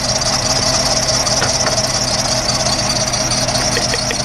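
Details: 2008 VW Jetta rough idle with lumpy, stumbling beat and strong hiss; misfire on cylinder 2 after new spark plugs and a compression test; coil swap changed nothing, injector swap moved fault, suggesting injector.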